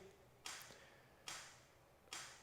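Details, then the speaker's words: 1983 Kawasaki KLT 250 three-wheeler that sat since last fall, key on: the electric fuel pump ticks sharply a little over once a second and never stops. It has spark but no start; a fuel supply or pump fault is suspected. "it doesn't ever stop ticking. So because of that, we're not firing. So I think it's not getting any fuel, so we're going to do some testing on it to check, because the fuel pump should stop ticking once the bowl fills up, so once it gets the right pressure."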